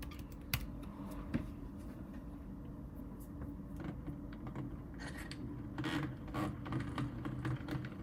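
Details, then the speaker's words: ARCTOS 6-axis robot arm, 3D-printed PLA gears, ungreased and not worn in: joint turns with faint irregular crackles and sharp clicks over a quiet hum and wobble, sounding stuck; gears catching suspected, possibly needs load. "this axis here see that sounds not good either and that's also wobbling a bit um yeah that doesn't sound good either so they're printed at 100% it crackles like maybe it needs load on it"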